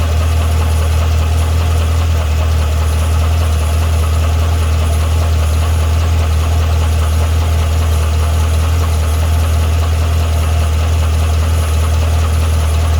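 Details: 2012 Cadillac CTS-V at idle: a steady, deep idle with a faint, uneven tick of roughly two to three per second; ticking/knocking at idle, source not pinned down.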